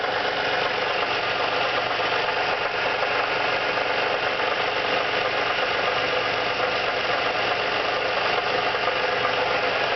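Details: 2002 Nissan Maxima V6 idling: a fast, busy metallic under-hood rattle over the engine note that seems louder as the engine warms up. Oil pressure light is off; dry compression is 180 on cylinders 1, 3, 5 and 175 on 2, 4, 6. Cause unknown.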